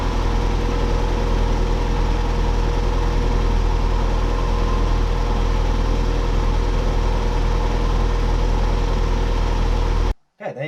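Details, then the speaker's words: Mazda MX5 / Miata NA (Eunos Roadster) four-cylinder after valve cover gasket replacement: steady low idle, smooth and even for ten seconds with no misfire or tapping, then shut off; healthy. "yeah yeah it started up it sounded a lot better straight away as soon as it started"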